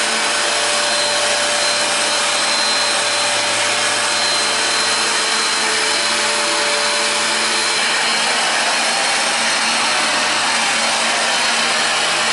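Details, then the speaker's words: Hoover Professional Power Dash carpet cleaner out of water: a steady high airy roar with thin hiss and no gurgle, the pump running dry and sucking air. "Apparently that's the sound it makes when it's out of water because it's just sucking air."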